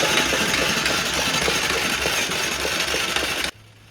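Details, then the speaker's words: Yamaha Warrior 350 with a reportedly rebuilt engine (new rod and cam) that was knocking badly. Spark plug removed, cranked on the starter: a rough, crunchy grinding under an uneven whir, engine likely needing a rebuild. "so as you can hear, um, I pulled the spark plug out, just turned it over with the starter, and you can hear she's definitely a little bit crunchy."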